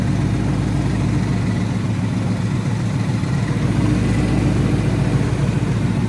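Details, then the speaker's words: Coyote V8-swapped SN95 Mustang at idle after coolant bleeding, alternator reading only 11.4 V: steady, even idle with a smooth low burble and no knocks or misses; running good, normal idle. "It's running good though. Sounds good. Everything's perfect."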